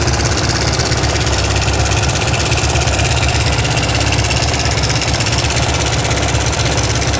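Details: ZS177MM single on a Kovi Pro motorcycle, 1300 on the clock, 44 engine hours, heard through a stethoscope at idle: heavy uneven knock about three per second, began the day after a ride; clutch play and valves checked okay, chain/tensioner suspected.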